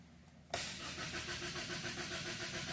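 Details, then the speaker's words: Extended crank after the high-pressure fuel line had been off on a 2.0 Ford EcoBoost (P0012/P1016, vacuum pump suspected from no brake assist): brief quiet, quick even cranking, then the engine catches and settles into a steady run; normal start. "extended crank we had the highpressure fuel line off"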